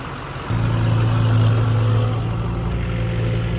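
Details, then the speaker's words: Rebuilt Ford 6.0 Powerstroke diesel truck just after rebuild: cranks briefly, fires straight away and settles into deep steady idle with no misses, bangs or stumbling; normal start. "rewind this and look at how that just started that's how you're just supposed to start"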